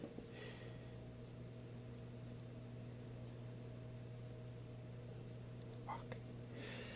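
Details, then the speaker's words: Whitfield pellet stove auger gearmotor, running by itself with the stove electronics disconnected: only a faint, steady low hum with no grinding or squeak; turning smoothly and quietly. "and now it's hard to hear because it's actually running nice and quiet"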